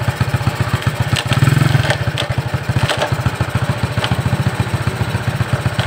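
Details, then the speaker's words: Suzuki Shogun 125 single-cylinder motorcycle idling after electric start: uneven clattering knocks come and go, not a regular rod-knock beat; cause a loose nut inside the clutch cover, no con-rod replacement needed. "Jika itu adalah bunyi ketukan batang piston, seharusnya bunyinya konsisten, kan? Oke. Namun, suaranya tidak teratur. Terkadang ada, terkadang tid"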